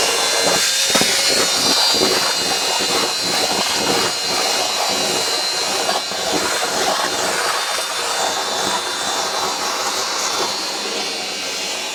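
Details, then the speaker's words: Worn wet-vac motor mopping up spilled coolant in the workshop gives a loud, steady, high-pitched howl with a rough, raspy edge; it sounds tired but keeps running. "Howling motor push wet vac to the rescue. Come on."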